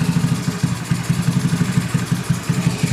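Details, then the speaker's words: Carbureted Honda Beat scooter, over 8 years old, with very high fuel consumption: rough idle with rhythmic huffing and sloshing from the carburetor intake, like an air leak; engine dies when the port is covered; faulty automatic choke. "nah seperti ini. Ada suara kocok-kocokan ya. Dan ini akan menimbulkan sangat boros sekali ya terhadap mesin yang sudah upgrade maupun yang masih standaran ya, teman-teman."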